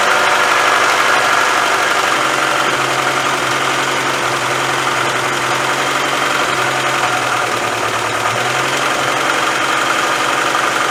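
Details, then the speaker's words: 1996 Mazda Miata MX-5 that sat broken for a year, fitted with individual ignition coils, checked by unplugging coils one at a time; uneven, stumbling idle with a wavering hum; misfire at idle, bad coil suspected. "Alright, so we're going to figure out which ignition coil is bad."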